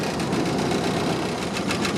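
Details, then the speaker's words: 1929 Ford Model AA Express barn find after 30+ years sitting, no coolant, smoking: four-cylinder chugs at a fast, slightly uneven idle with loose mechanical clatter; number 4 cylinder still not firing, rough idle. "See if we can get some coolant in here tomorrow, and then we'll work on trying to get that number 4 cylinder to come back around. Does not sound too bad overall."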